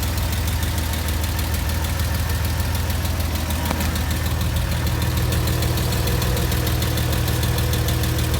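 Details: Porsche Boxster 986, very hot after spirited driving: quick, uneven tick about three a second over a loud low idle, mostly from the driver's side. It disappears after two minutes parked. Lifters or exhaust suspected, unconfirmed.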